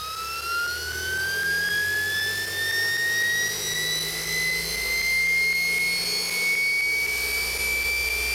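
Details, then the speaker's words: Old Kaylor adaptor/motor setup for a VW on a software-modified Kelly SepEx controller with regen, motor refitted after fixing spots that were rubbing: clean high whine climbing smoothly on a slow ramp-up, jet-like, no scraping; healthy motor. "nice slow ramp up actually is working pretty [Music] good sounds like a jet engine going to take off"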